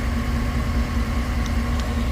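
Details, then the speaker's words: 2008 GMC Tahoe idling after a no-crank, no-start, no-communication fault was fixed by disconnecting the shorted ABS control module under the driver side; even, steady low rumble with no knocks or misses. Normal idle. "इसको मैंने disconnect किया तो जैसे इसको disconnect किया system पूरा सही हो गया सब सिस्टम ने काम चालू कर दिया क्लास्टर भी न हो गया गाड़ी स्टार्ट भी हो गया और एसी भी सही हो गया"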